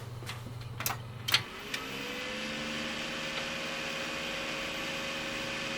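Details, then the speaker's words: Old PC cooling fan at switch-on: a few clicks, then spins up to a steady, fairly loud hum with whiny tone; noisy fan to be replaced. "i've never bought a noctua fan before so i thought this will be the ideal candidate because the fan that it's got is really loud"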